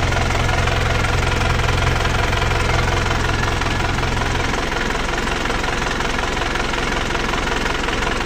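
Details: Panther Touring diesel as it arrived, before repair: idle with a heavy, even clatter of about three beats a second over a chuffing undertone. Worn engine with blow-by.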